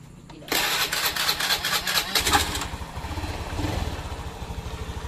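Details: Honda Beat FI scooter engine, after teardown, reassembly and oil refill, on its first start test: quick crank, clean catch, then a smooth, even idle with no knocking or whistle; it sounds healthy.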